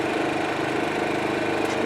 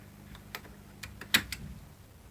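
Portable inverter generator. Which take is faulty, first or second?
second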